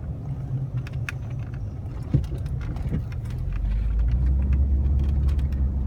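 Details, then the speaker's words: Jaguar XJ SWB on 20W-50 oil, after a test drive: steady low engine hum with an even, smooth beat and no knocks or ticks; sounds really good, good oil pressure, oil light stays on (owner suspects oil sending unit); normal running. "engine sounds really good oil pressure is good"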